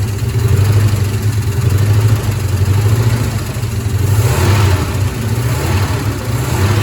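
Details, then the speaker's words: 1972 Ford F-100 Ranger XLT that sat over 10 years, first start on starting fluid: a rough, lumpy V8 idle with a cylinder dropping out. This is a misfire; the owner suspects a stuck lifter. "sounds healthy it's missing sounds like maybe one of the lifters is stuck or something"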